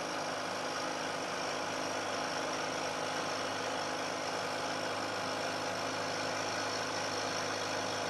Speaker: I'm taking a cut this time of roughly equal depth to the cut I took before and you'll hear that there's a very big difference in the noise produced especially as the cutter gets out towards the end of the part